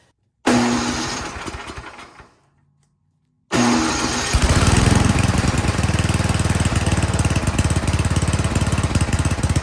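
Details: Toro Power Shift 824 snowblower with a no-start complaint, after the gas and primer lines were reconnected, throttle set to fast, choke on and fuel on. The first pull catches briefly and dies, the second fires and settles into a steady, even chug. Normal start and run.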